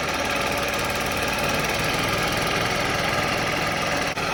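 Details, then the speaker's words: Yamaha golf cart engine, sat 6–7 years, running on very stale fuel after a jump start with choke: small engine chatters at a fast steady beat with no misses or stumbles; normal running. "Okay, that's pretty good, especially with some really stale fuel."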